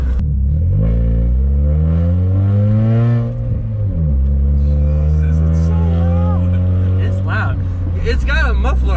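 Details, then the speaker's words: 2007 Chevrolet Cobalt SS after replacing the downpipe, which had leaked for about two months: engine revs up and settles with a deep, steady drone and no ticking or puffing; exhaust is loud but no longer leaks. "it's weird to hear my car like no but that is me idea how weird it is because it's always a leak you always heard a leak for luck how long has it been two months"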